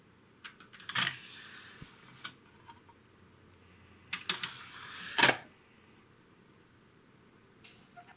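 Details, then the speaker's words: Late-1980s Realistic (RadioShack) CD-2400 CD player after repair: a few light clicks and a short whirr as the tray draws the disc in, then quiet; it plays, changes tracks and ejects fine. Normal CD loading. "let's go ahead and put in the CD shut the door it worked just fine go ahead and play it all right that's good"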